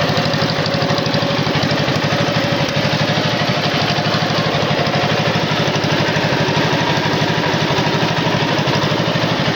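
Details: Wisconsin TJD 20 horsepower inline two-cylinder engine on a tow-behind flail mower; steady, even low thumping with no misses or knocks: normal running.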